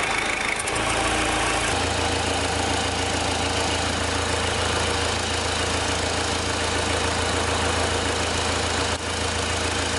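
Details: Owner's own diesel winter hack, delta pressure-pulse sensor in the intake past the throttle plate: the start settles into a steady, even idle with regular clatter and no misses or knocks. The engine is running perfectly all right.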